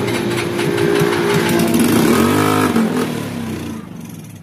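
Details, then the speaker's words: Stalled motorcycle brought to shop, oil changed, carburettor refitted, first start attempt with a small test wire to a big battery: starter whirrs slowly and unevenly, sags and fades without catching; cranking too weak. "hindi kaya yan, malambot."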